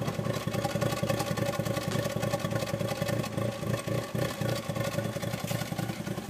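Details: 1996 Mazda Miata 1.8L petrol four at idle: uneven, lumpy, stumbling beat, rough idle, cause not yet found.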